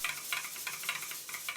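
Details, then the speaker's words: Southworth duplex twin-cylinder steam pump, damaged by a customer running it on compressed air without oil, restarted: uneven, sharp ticking bursts with no steady stroke rhythm. Not drawing water properly; owner suspects stuck water valves. "I stopped the pump and restarted it. The pump really doesn't sound right, it's just not got the right vibe at all."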